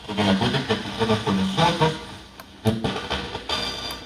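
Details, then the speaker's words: PylePro PPHP8MBA speaker: turns on, but music plays harsh, fuzzy and crackly with smeared tones, badly distorted; something heard dangling inside the cabinet, cause not yet found. "the problem with the speaker is it turns on but it sounds very distorted"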